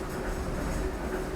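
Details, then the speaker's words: Working 1797 grist mill grinding corn: steady even rumbling grind with soft rolling clatter of corn, little vibration, no knocks; grinding normally. "So it's The not as sound- noisy as you thought it would be. No, but the sound is beautiful."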